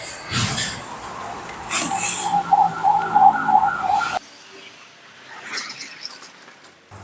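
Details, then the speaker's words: Old-style electric fan converted to remote control with add-on remote switch module: short string of mid-pitched beeps when plugged in, then quiet; normal power-on signal of the module. "ตอนที่เราเสียบปลั๊กมันจะมีเสียงทั้งวี๊ดเพื่อนๆไม่ต้องตกใจนะเป็นเสียงปกติของเขานะครับ"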